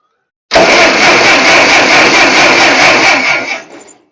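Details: Ferguson TO-35 tractor with replacement distributor and ballast resistor, cap and rotor off for a spark check, in neutral: about three seconds of even, strong cranking without firing; turns over normally and good spark is seen.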